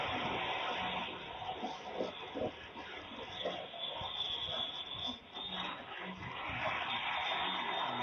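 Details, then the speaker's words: Electric vehicle battery about to go into off-gassing: a steady hiss with scattered sharp popping as the pack vents; sometimes a jet-like whine is also heard. "next this is if you can listen to the audio you can hear the hitting popping of a easy when it's about to go into uh off [Applause]"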